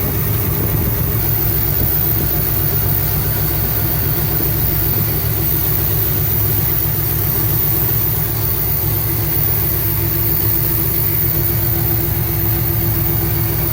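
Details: 1975 Cadillac Fleetwood V8 idling with valve covers off after about 5 minutes of running, monitoring oil coming up to the top end; steady, even deep rumble with no knocks or misses; normal idle, though oil seeps over onto the headers causing smoke.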